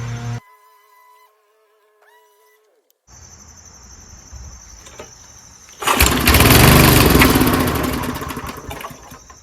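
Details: Old monster snowblower's small engine, stored winterized for years, now fueled with gas after a spray start on choke; it catches after a few pulls and settles into a loud, steady, evenly firing buzz, sounding healthy and running normally.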